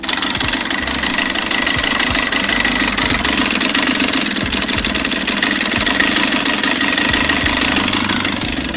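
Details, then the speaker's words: 2017 KTM 300 XCW two-stroke at 54 hours idling with rapid, loose metallic tapping like bearings or hammers on the top end, unchanged with clutch pulled; piston slap with a lot of piston play, fixed by top-end rebuild. "with my noise you can hear it sounds like a bunch of bearings or hammers tapping on the top end of the engine noise does not change when you pull in the clutch"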